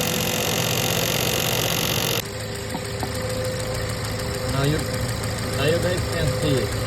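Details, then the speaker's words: 2013 VW Jetta 2.0L at idle, no engine light, code for blocked coolant fan, ticking noise after oil ran low: loud rough whirring roar that cuts out abruptly; faulty radiator cooling fan. "Now the engine code is coolant fan for coolant difficult off moment blocked. Let's have a look now. So as soon as this one starts now it will start to make a noise."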